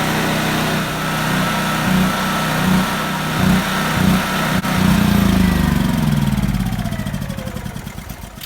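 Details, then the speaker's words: Portable generator with fuel valve shut, running on high to empty carburetor before storage: surges and sags in uneven pulses about three times a second, then stalls; fuel starvation. "This turns the gas off and it comes through. And then just turn on high and let it run out. And it'll run for a couple minutes, and then you're going to see it's going to die."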